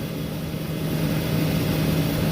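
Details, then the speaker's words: Walk-in cooler after installing new fan motors and a new thermostat: steady low hum and smooth fan rush, no rattles or knocks. Evaporator at 35°F with the box near 60°F under high load, about 75°F outside; it later pumped down unexpectedly. "new fan motors installed new thermostat is in we are up and running they're looking pretty good"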